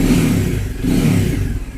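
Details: Bajaj Dominar 400 motorcycle after the fix, rubber padding fitted inside and a support added to the panel: smooth rising and falling revving note with no vibration buzz or panel rattle.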